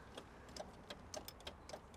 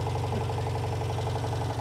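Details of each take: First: 1985 Citroen 2CV6 Special, two-cylinder, one-owner barn find, non-running, with oil squirted down into the cylinders. The starter solenoid clicks about three times a second, moving in and out, but the engine does not crank; it seems stuck. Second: 1985 Citroen 2CV6 Special two-cylinder barn find, first start after long storage and revival, temporary fuel feed may run out: low, even, steady pulse at idle with no misses or knocks; running sweetly.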